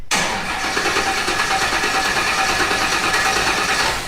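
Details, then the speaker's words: Off-road wrecker build, freshly filled fuel tanks: starter cranks steadily about four seconds with no catch; no fuel. Fuel pump lacked a chassis ground, engine and transmission grounded only; adding the ground fixed it and it started. "Okay, let's figure out why there's no fuel."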